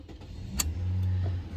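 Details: 2014 Toyota Corolla LE, 2ZR-FE engine, idling just after start-up; complaint of rough, high idle and no throttle response, code P2118. A steady low hum held just above normal idle that never dips or picks up, caused by an open wire in the throttle actuator circuit.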